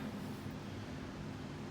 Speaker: fan runs runs real nice